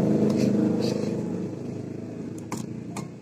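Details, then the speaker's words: Yamaha X-Ride scooter that won't start: a few sharp dry clicks with no cranking, so the switch and bendix seem normal. Starter motor fault suspected (worn brushes or a loose magnet), not confirmed. "Nah, cetik-cetik-cetik berarti antara tombol bendik semuanya normal. Dan prediksi saya itu masalahnya ada di dinamo, entah arangnya habis ataupun magnetnya terlepas ya, magnet dinamo ya."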